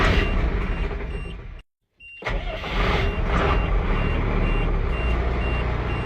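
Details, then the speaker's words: Ford F800 project truck with 12-valve diesel idling just after starting, brake lights on and a 'push to release' control showing: steady rapid high-tone beeping over the idle after a brief cutout; warning alarm of unknown cause. "The thing's beeping for some reason."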